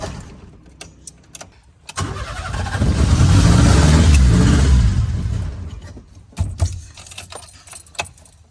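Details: Old Fiat 147 with carburetor, starting attempt with pedal pumped repeatedly: keys jingle, starter cranks, engine catches roughly about three seconds, sputtering unevenly and dying; misfire on start, carburetor flooded with gasoline, possible electrical weakness suspected.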